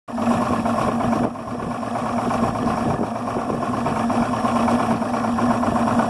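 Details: Yamaha 300 HPDI outboard idling at 400-500 rpm: low, uneven idle with a lumpy, stumbling beat and wavering note; rough idle, cause unclear.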